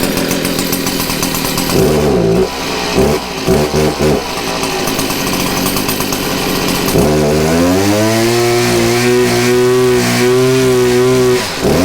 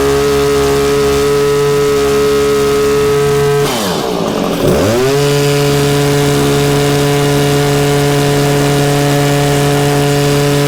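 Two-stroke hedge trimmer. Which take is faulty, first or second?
first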